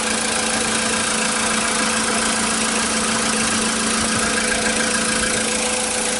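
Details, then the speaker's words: Volkswagen Polo that would not start due to missing power to the ignition coils (a lock-out), now fixed via a relay: steady, even idle with constant hum, no knocks, misses or hunting; running normally. "Ну всё машина работает вот тебе и реле"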